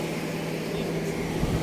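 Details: Car that wouldn't start (no power from battery) after rewiring and battery swap: steady low hum, even and unbroken with no stumble or knock; normal idle after the fix.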